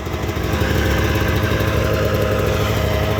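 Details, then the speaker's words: 1998 Arctic Cat Z440 fan-cooled twin-carb two-stroke snowmobile, carburetors recently gone through; fast, fairly even idle around four beats a second, settling down cleanly without stumbling; normal idle. "Oh yeah, I mean, it kind of is what it is. It's an old sled. Does its job."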